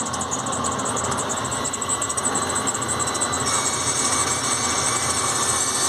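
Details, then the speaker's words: GM Workhorse chassis American RV with the AutoPark hydraulic parking brake applied: steady high electric whine with a fast buzzing pulse that never cuts out from the assist pump motor; it runs constantly due to a faulty pressure switch. "it's coming from this motor here and it's got a little reservoir there so what is this unit it's a hydraulic uh parking brake assist"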